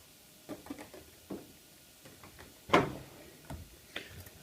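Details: Miele W562 Prestige Plus 6 washing machine after a Cottons 60°C Water Plus cycle: quiet room, a few soft ticks, then a sharp, loud clack and later clicks as the door latch lets go; normal door lock release.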